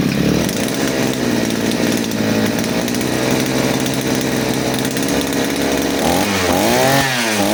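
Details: Side-mounted brush cutter, carburettor mixture screw returned to the nylon-line setting: steady high two-stroke buzz holding speed evenly, then smooth blips up and down at the end; powerful and fuel-efficient, setting right.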